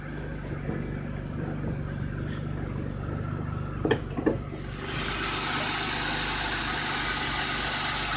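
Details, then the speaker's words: 1988 BMW E28 535is, cold start, with many new engine parts: steady, even low idle hum with no knocks or misses, hiss rising halfway through; engine stays smooth and healthy. "the engine is cold right now so start it up"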